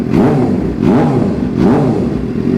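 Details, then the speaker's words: 2006 Suzuki GSXR 750 after transmission replacement and engine reinstall, idling at 97 degrees with no codes: three quick throttle blips rise and fall smoothly from idle with no clatter or hesitation; engine sounds healthy. "So the next thing I want to do, I'm going to go ahead and just get a few blips of throttle."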